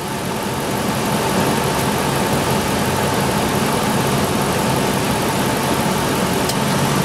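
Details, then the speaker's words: IAC valve test with the AC switched on: the PCM commands the IAC to 50% and the smooth, even idle firms up slightly then holds steady, showing the IAC and its wiring work; normal idle rise with AC load. "and it did it increased it to 50% and the RPM Rose accordingly so that worked"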